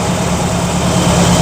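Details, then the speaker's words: Carbureted V8 after two-jet mixture leaned for maximum vacuum and timing tweaked, throttle lifted slightly: steady even low rumble, no misses or hunting; settles well; normal idle. "Lift the throttle just a tiny bit. Let's see where she lands. That's not bad."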